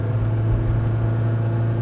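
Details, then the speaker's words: 1986 Saab 900 8-valve K-Jet after fixing a plugged injector, rolling start in second gear: strong steady low rumble pulling smoothly, immediate power delivery, no stumble or hesitation; fixed. "See, even when I just do a rolling start from second gear, immediate power delivery,"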